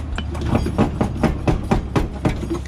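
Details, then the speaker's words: Accident-damaged Mazda RX-8 on jack stands: rear suspension worked by hand gives repeated hollow clunks, about three a second, same noise heard while driving; a suspension bolt is out, affecting camber. "okay there's something i feel something like broken in the back you hear that look"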